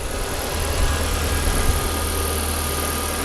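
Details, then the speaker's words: 2005 Mazda6 2.3 junkyard car, formerly no-crank no-start, idling after fuse replacement (owner suspects a bad ground blew fuses): low, steady idle with an even beat and no knocks or ticks; quiet and smooth. "there it goes it's running so obviously that fuse is good it's running nice and quiet"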